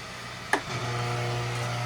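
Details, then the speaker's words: Delmonico FMS-749 AM-FM tabletop receiver during FM alignment, tuned to end of dial: a click then a steady low buzz at one pitch, also seen on the scope trace; electrical interference hum from the shop lights. "i don't know if you hear that buzz or not look at that trace that is these stupid lights"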